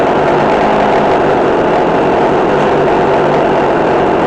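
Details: McCulloch Mac3216 32cc chainsaw with 16-inch bar, after carburetor adjustment (1/4 turn in, idle adjusted). A steady, high, even buzz with no surging, stumbling or hunting; running smoothly and healthy.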